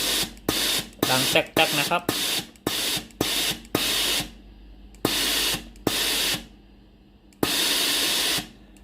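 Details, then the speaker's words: Tefal GV9565E0/23 steam iron after repair of board, triac, water solenoid valve, fitting and resistor: strong, clean bursts of hissing steam about a second long with short pauses, solenoid valve clicking; steam delivery normal. "เครื่องพร้อมใช้งานแล้วกดปุ่มจ่ายน้ำเช็คระบบไอน้ำไอน้ำออกปกติมีเสียงโซโลนอยวาล์วน้ำทำงานปกติ"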